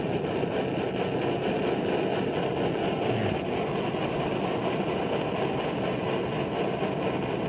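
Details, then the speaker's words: Older early-model Primus Omnifuel stove with a flame plate, fuel valve set for consistent flow and spindle valve turned down low: a soft, even roar with no chugging or pulsing. Normal steady low simmer. "So that's your low simmer. With a flame plate."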